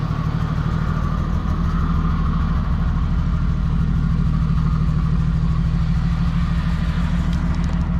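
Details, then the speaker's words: 1978 Jeep CJ-5 before frame-off restoration, running: loud rough idle with a chuffing low pulse about three per second and raspy edge from an exhaust leak; exhaust to be replaced. "Another thing we're going to do is replace the exhaust. That's probably the worst part of it. You can hear the exhaust leak."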